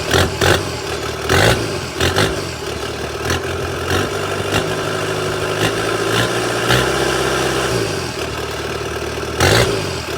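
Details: Kubota SVL 75-2 diesel with performance tune, DPF/EGR delete and newly fitted SVL 97-2 bigger turbo (about 115-120 hp, up from 105), first startup: cranks, catches and settles into steady clattery idle with blips, no misfires or oil leaks; normal.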